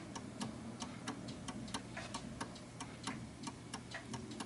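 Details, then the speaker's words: 1930s 8-day striking oak mantel clock (Enfield) with the pendulum hooked on: steady tick-tock with an uneven, off-center beat, more tick than tock, so the clock is out of beat. "it feels a little bit off center, so it goes tick tock, tick tock, more tick than tock."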